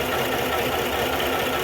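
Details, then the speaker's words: 2021 Chevrolet Tahoe, misfire DTC, traction and stability lights on; coil and high-tension wire swapped without fixing it. Valve cover off, engine idling with busy clattery uneven valvetrain: a stuck valve and rocker causing the misfire. "Start ചെയ്ത കഴിഞ്ഞപ്പോൾ ഇവിടെ കാണാം നമുക്ക് റോാമും വാൽസും ഒക്കെ work ചെയ്യുന്നത് number എയറിന്റെ valve valve stuck ആയിട്ട് നിൽക്കുന്നതാണ് റോമ stuck ആയിട്ട് നിക്കുന്നാണ്"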